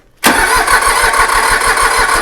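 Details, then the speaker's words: Iseki mini tractor diesel, sat 2 years after refusing to start: strong starter churn with even compression beats about five a second, but it never catches; crank, no start, with compression apparently present. "proper engineering to it I don't understand why though cuz he's [Applause] close it's getting close I don't know it's got I mean it must have compression you can't even bump start the thing yeah"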